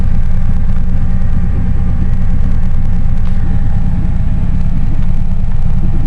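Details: 1999 Lincoln Town Car with a loud stock exhaust, start up: deep, steady exhaust rumble at an even idle, about three pulses a second, no misses or ticks; healthy.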